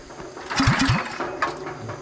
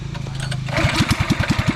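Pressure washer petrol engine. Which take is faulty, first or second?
first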